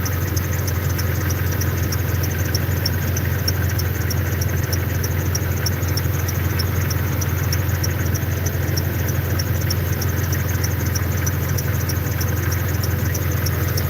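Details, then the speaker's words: Jeep at idle, hood open: steady idle with a fast, regular high chirp about twice a second from the front drive; owner suspects the fairly new belt, cause unconfirmed. "I don't know what the fuck that squeaking noise is. It sound like my belt. This belt ain't that old."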